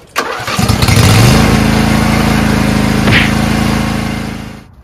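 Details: Lawn tractor after fitting a new U Plus AGM battery (old one failing): it cranks briefly, fires at once and settles into a smooth, steady idle; it starts easily and runs healthy.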